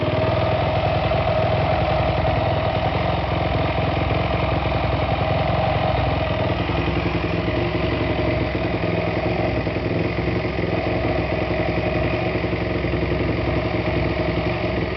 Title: 2008 YZ450 Whining Noise